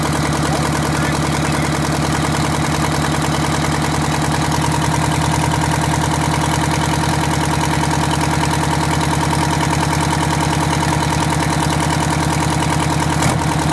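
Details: Detroit Diesel 8V92TA in a Wanderlodge RV: loud, heavy idle with an uneven, lumpy beat and a dropping cylinder. A miss, with a bad injector; the liners were also found scored and cracked.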